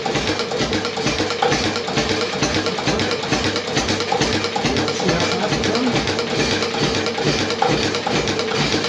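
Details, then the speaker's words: Witte single-cylinder diesel running again after a breakdown, with its timing advanced and an adjustment of a quarter turn: slow, even thudding at about 200–250 rpm with no knocks or stumbles, the smoothest it has ever run. "that is the nicest that things ever run"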